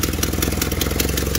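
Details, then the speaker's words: Nissan Silvia with FJ20ET turbo four, cold start, fuel pressure just lowered: steady low chug with faintly uneven beat; idle air control valve adapted from an 80s BMW makes cold idle a bit irregular. "80s bmw that they had to adapt to it so that's why she idol's a little funny when she's cold"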